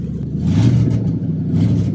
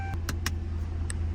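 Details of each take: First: Stolen and recovered 2007 Ford Crown Victoria Police Interceptor, 186,000 miles, catalytic converters stolen: loud, deep, raspy unmuffled roar swelling with each rev; open exhaust from removed converters, motor not blown. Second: Restored stolen 2007 Ford Crown Victoria Police Interceptor after repairs, ready for pickup: smooth, steady low hum with a few light clicks, no knock or stumble; starts right up and drives, normal running.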